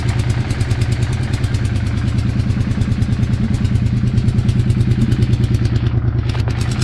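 Fast, even clatter riding on the idle, rising and falling evenly with each firing pulse; a persistent mechanical noise of unknown cause.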